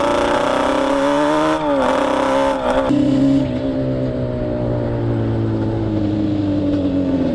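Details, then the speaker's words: Yamaha Banshee 350 two-stroke twin on a test ride after carb sync and rejet; revs up then sags and drones flat, never climbing cleanly to the top; main jets too rich at 178, going down to 160. "She won't get up on the top end. I think the mains are too fat on it."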